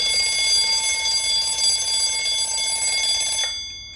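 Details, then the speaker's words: 1905 Waterbury spasmodic alarm clock repaired and running: fast, bright, extremely loud bell ringing for about three seconds, then cutting off cleanly. The alarm runs and pauses intermittently by design. "the reason why they call this a spasmodic alarm clock is because the alarm will actually run um for a little while and then stop for a little while and at some point it should continue running for a little while"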